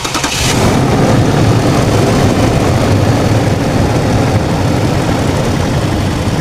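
A short crank, then the engine catches and settles into a steady, even idle, so it now turns over and starts properly.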